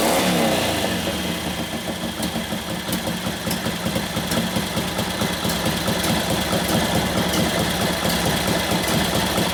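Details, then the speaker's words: 1941 Harley-Davidson WLD 45 flathead V-twin, custom-built 56ci stroker: uneven, lumpy beat stumbles and won't pick up cleanly; idle speed climbs, then it dies a couple clicks later. Very touchy on mixture; lean main jet, turned out to richen. "It wants to be right where it wants to be on the fuel mixture, and that's it. The allot speed went way up, and then a couple clicks later, and it dies."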